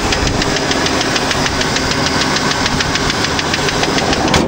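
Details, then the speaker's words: 1993 Ford F-150 with the six-cylinder. A sharp, light ticking about three times a second rides over a steady idle. The top-end tap's source is not pinned down; others say it is not much to worry about. It runs and drives well. Ticking at idle. "so whoa this looks like it's gonna be a strong engine once i get that tapping noise done but it does run it does drive pretty well"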